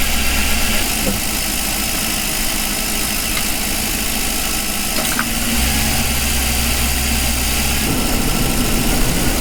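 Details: 2006 Lincoln Town Car Ford 4.6L V8, first start after intake manifold replacement and new fuel filter, codes cleared: starts and settles into steady idle with no obvious hiss, tick or stumble.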